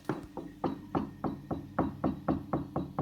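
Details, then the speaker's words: Tube amp, hot EL84 power tube tapped while refitting screws: each light tap sets off a bell-like ring that fades; microphonic EL84, likely worn after being moved and swapped while hot. "[ __ ] like christmas bells it's so [ __ ] annoying"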